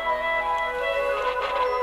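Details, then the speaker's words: Roberts RT22 transistor radio, run out of its case after replacing a failed resistor with a 3.3 (3.9 specified): clear music on FM at steady volume, no crackle or dropouts. Normal FM reception restored. "Right, now I've put a 3.3, I didn't have a 3.9, and we now have noise or sound on FM as well, as you"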